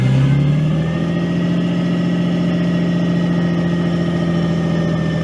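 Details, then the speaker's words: Nissan 240SX S13 RB20DET swap, start for test drive, PCV blocked to stop a vacuum leak, cold; fires up and settles into an uneven idle that rises and sags as if to stall: rough hunting idle, cause unconfirmed, owner thinks it needs warm-up. "But it started right. Come on. It might hunt a little bit. Don't stall out on me, baby."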